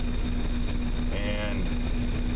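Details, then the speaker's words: 1996 Mazda Miata after cleaning the MAF sensor, throttle body and intake with SeaFoam: a very quiet, even hum with no hunting. Previously the tach bounced between 850 and 1,000 rpm, now steady; check engine light still on. "before i did this that tachometer would sit there and bounce between about 850 to a thousand just pound pounds it's evened out dramatically so looks like we did some good"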